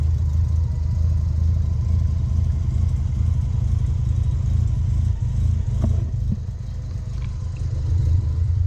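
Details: 1990 Mazda RX-7 FC turbo rotary after OMP delete and new intake gasket fixing a boost leak: deep, throbbing rumble rising and falling with throttle, no hiss or flutter from a leak; normal running.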